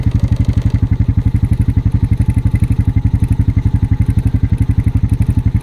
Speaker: he's working it back and forth trying to get up that hill even though I broke the trail it's still like ball bearings under your TR